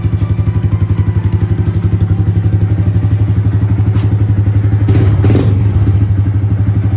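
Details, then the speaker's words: Honda Grom small single-cylinder motorcycle, bought cheap from a friend, low miles, runs smooth: even, steady idle thump about three pulses a second, no knocks or misses; normal healthy idle. "Check out this little Grom. She runs. Got it for dirt cheap off a buddy. Check it out. Nice and smooth."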